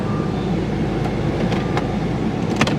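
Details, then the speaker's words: Jaguar V8 with about 120,000 miles, J-gate shifter moved into reverse then drive at idle. Idle holds steady through the shift with no clunk or thump: smooth transmission engagement. "you got your j gate right here right into reverse and right into drive"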